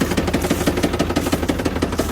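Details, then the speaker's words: 2024 Ford Super Duty Power Stroke diesel with 10,000 miles, at idle: sharp evenly spaced knocks about six a second over diesel clatter, heavy bottom-end knock; suspected rod knock before first oil change, not confirmed. "Rod knock at 10,000 mi."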